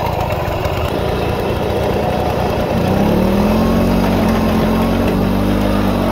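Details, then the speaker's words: Restored 1940s Simar two-wheel tractor rotary tiller, single-cylinder engine: steady, even thumping that picks up slightly under load; starts easily and runs smooth and healthy with good power. "Everything seems to work just fine. Starts very easy, engine runs very smooth, lots of power, I think. Runs good."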